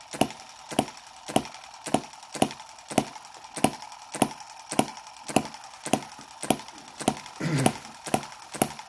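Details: Microcosm M17 1.6cc model hit-and-miss engine being revived; it had been dying from over-richness and flooding, cleared by holding the exhaust open and turning it over. It now gives sharp, even pops about every half second with quiet coasting between: normal hit-and-miss running.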